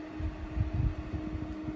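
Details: New Intervent 4-inch axial extractor fan (NVF100P) switched back on at the isolator switch and moving air: an even, steady hum with a soft, low, regular air pulse and no rattle or scrape. It is running smoothly.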